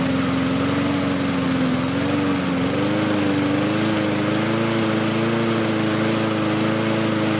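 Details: Husqvarna push mower with a Honda engine, throttle raised to slightly higher rpm for better cooling: even, steady single-cylinder drone rising slightly in pitch; runs smoothly, normal running.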